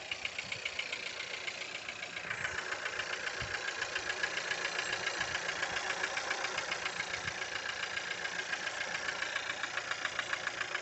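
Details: Skoda Octavia A7 1.4 turbo; light, regular rattling knock about three to four a second over a steady idle; engine knock, owner cannot tell where it comes from.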